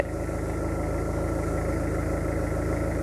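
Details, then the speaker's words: Renault Megane 2 cabin blower fan on speed 4 (speeds 1–3 dead, resistor suspected): steady whir with fast ticking, about four per second; mice chewed the fan blades, and the broken blades rub the housing while the motor itself is fine. "Deci motorașul nu ar fi defect problema lui este că are rupte aceste pale și acum Atinge în carcasă acel zgomot ce l auzea"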